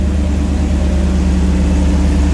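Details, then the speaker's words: Turbo EFI 460 V8 with S480 turbo, just fired up after reinstall in truck, charging fixed: deep steady idle, no valve train noise or ticking; idling smooth. "valve noise, valve train noises, no ticking. Idling real smooth."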